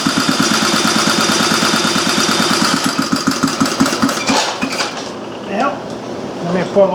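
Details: Old Briggs & Stratton Model A single, first run on gas squirted into the cylinder with the carburetor not yet serviced: steady chuffing at about three beats a second for several seconds, then it slows and quiets; it fires and runs.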